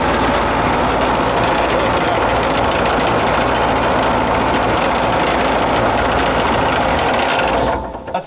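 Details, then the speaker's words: Armoured vehicle on a stand with no tracks and no load, after adjusting the right-hand brake to match the left: loud, steady heavy engine drone with gear noise but no knocks or grinding; sounds healthy, brakes operating. "Sounds great, man. It sounds good. The brakes are operating."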